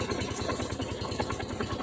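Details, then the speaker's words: Rusi 250cc motorcycle that had stalled and wouldn't start, running after a jump start despite its weak battery; an even, steady low putter at about twelve pulses a second with no misses, idling smoothly. "yun po no yan kahit na po Mahina yung battery tatakbo pa rin yung motor natin"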